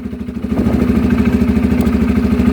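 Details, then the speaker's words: Polaris Sportsman 500 ATV, about 12,000 km, sat a while, troublesome since being rolled: turns over fine, choke off, steady even single-cylinder putter with no knocks or misses; normal idle. "But if you guys listen there, it turned over fine. Chokes off. There we go."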